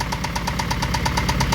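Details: Acura Integra idling just after alternator replacement: sharp, evenly spaced knocks about eight per second over the idle; internal engine knock suspected, not confirmed.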